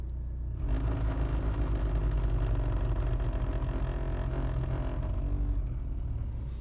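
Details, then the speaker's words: BMW 3 Series heater blower motor in the cabin: started squeaking and slowly got worse, now a heavy uneven rumbling clatter; rough-running blower motor, located under footwell cover, to be removed and repaired. "the heater motor in the 3-series is making a right racket started off squeaking but now listen to this"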